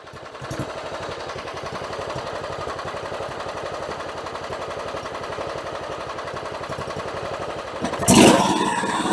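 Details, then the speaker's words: John Deere GT262 mower after a new fuel pump, battery, fuel filter and air filter. It runs at low idle with an uneven, stumbling putter, still on some old fuel. Rough running. "running a low idle that's good you can tell it's still got some old fuel in it"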